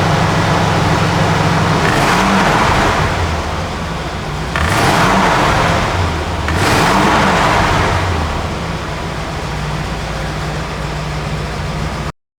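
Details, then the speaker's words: 1967 Plymouth GTX with 440 Mopar V8, 727 TorqueFlite automatic and dual exhaust: steady loping idle, then three clean throttle blips rising and falling smoothly; healthy engine, no knocks or misses. "so now to finish things off we'll get this down off the lift go underneath the hood let you hear what that 440 Mopar engine sounds like"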